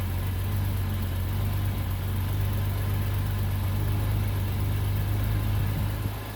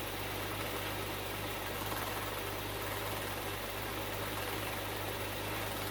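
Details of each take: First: Bitter SC (SC 377), Bosch L-Jetronic, with the coolant temperature sensor plug pulled (infinite resistance) as a test. Deep, uneven idle with a lumpy, wandering beat and no steady rhythm: rough running. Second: Bitter SC (SC 377), Bosch L-Jetronic fuel injection, after fixing a faulty temperature-sensor wire. Catches promptly and settles to a steady, even, smooth low idle with no misses or knocks: running clean.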